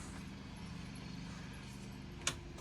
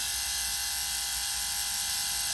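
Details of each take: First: Factory rear air conditioner fan on a converted bus: steady droning hum with a rough, buzzy low tone; unclear whether from the motor or idler side. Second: Bus factory rear air conditioner fan motor, running free on the bench after dismantling for noise, brushes reseating on the commutator: steady high-pitched electric whir, even hum, no rattle or scrape; normal motor run.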